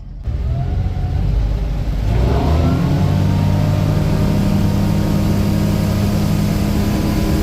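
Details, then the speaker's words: Volvo Penta in Regal boat at wide open throttle after fuel injector repair: revs climb quickly then steady loud roar, no misses; tach reads 6500 rpm (owner thinks wrong), temperature under 175, good oil pressure and volts; normal. "well i think we're good except for our attack is off it's at 6 500 rpms when we're wide open there's no way but our temperature hasn't went above 175 on the gauge here oil pressure has been good got good volts"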